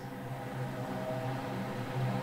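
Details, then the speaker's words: RadonAway RP145 radon fan with the airflow valve wide open, before a noise suppressor is added: a steady rushing roar of air with a low hum underneath and no knocks or rattles. Loud fan airflow noise. "So this is just wide open. Moving a lot of air. Most systems wouldn't move this much air... but it's possible."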